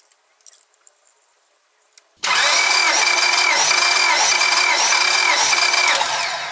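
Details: Honda Civic D16 with an idle misfire after a timing belt replacement, compression test cranking: steady, even starter-driven pulses, no stumbles; readings about 180, 180, 190 and 195 for cylinders 1–4, good compression.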